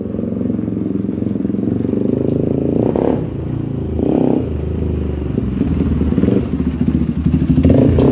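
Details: 1997 Honda TRX300EX single-cylinder on test ride after cam chain replacement, not run in a while and still cold: putter rising and falling with throttle, a little uneven but pulling cleanly; engine sound, clutch working great.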